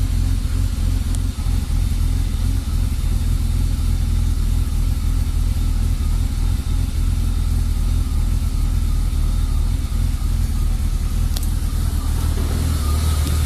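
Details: BMW E36 325i: low steady idle rumble with a slightly uneven, wavering beat underneath; MAF and throttle position sensor replaced and idle valve cleaned without success; rough idle fixed by replacing the lambda (oxygen) sensor.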